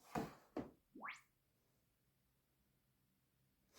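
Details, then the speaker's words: New subwoofer returned as faulty passes a sweep test: two soft thumps then a clean low-to-high tone; the rattle was just a silica gel packet left inside, speaker not broken. "ja also evanzverlauf ist sauber Lautsprecher funktioniert ist nicht kaputt hat einfach nur Silikagel nicht rausgenommen"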